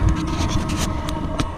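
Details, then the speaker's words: Chinese 5 kW diesel heater with 10-litre tank, newly installed in a winterized boondocking RV, running normally: low steady exhaust rumble with soft fuel-pump ticks; not its loudest, pump just kicked up to catch up. "And that's not the loudest that it normally is. It's actually just kind of, I just heard the pump kick up a little bit, which means it's going to try to catch up."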